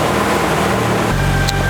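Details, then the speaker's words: 1992 Jeep Wrangler YJ 4.0L inline six, after replacing the crankshaft position sensor; smooth revving stumbles and briefly cuts out, the intermittent hesitation remains; injectors are new and firing, fuel pressure tested, cause still unknown. "Darn it, I still got one of those hesitations. Let me show you. Right there. Well, darn, the mystery continues. Still getting that hesitation."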